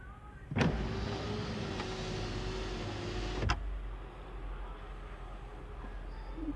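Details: 2011 Kia Sportage SL sunroof, creak from the rear of the roof when closing; lubricating the seal didn't help, road noise and cold air leak in: motor hums about three seconds with a faint creak, source unclear.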